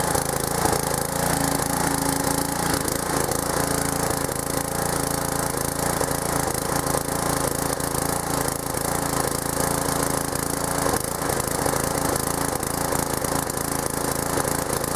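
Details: Old pressure washer small engine fitted with a homemade PVC gas tank replacing a leaking one, running on choke: holds a steady even run throughout with no surging, misses or stalling. Running normally.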